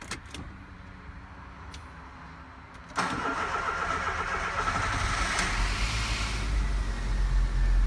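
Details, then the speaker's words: VW Golf 1.6 after refilling coolant: silent for three seconds, then catches at once and settles into a steady, even run; a clean, healthy start. "muito bem já pegou muito bem"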